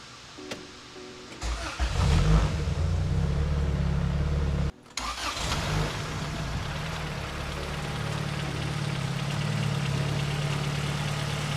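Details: 1992 turbocharged Honda Civic EG hatchback with a fully built engine and upgraded turbo, after reinstalling the ATI Super Damper crank pulley: it cranks briefly, catches and settles into a steady, even idle; the earlier engine noise is gone.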